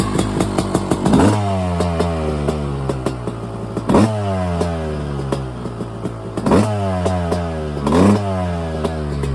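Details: Yamaha YZ250 two-stroke at first start after a frame-off rebuild with a new top end, a carburetor rebuild and a new Pro Circuit exhaust. Crisp ring-ding idle with sharp throttle blips that rev cleanly; runs healthy.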